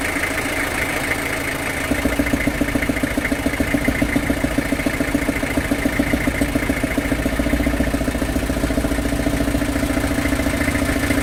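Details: Long-sitting old truck started by spraying lighter gas: a rough idle with a regular knock about 3.5 times a second that eases slightly as it runs, knocking less than before. Cause unclear.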